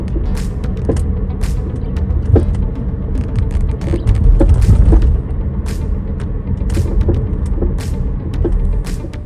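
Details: 2017 Chevrolet Bolt EV: irregular dull clunks from the front suspension over road rumble, a noise heard for about two years, caused by a worn stabilizer (sway bar) link.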